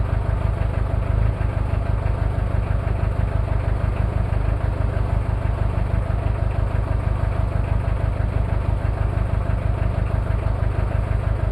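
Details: Cold start of a Toyota 2L-T diesel after piston rings were replaced without a top overhaul: deep idle clatter at about three beats a second with a slightly lumpy, uneven throb. One bad injector, with possible cylinder head issues.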